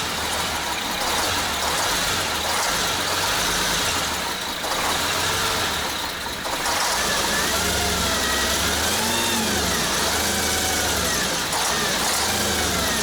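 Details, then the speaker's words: Diesel engine in a PRAGA all-terrain build, idling loud with a rough rapid clatter after the injection pump was rotated; viewers suspect injector lines of too large a diameter giving wrong injector pressure, not confirmed. "Повернул я насос, но все равно идет вот этот клёкот."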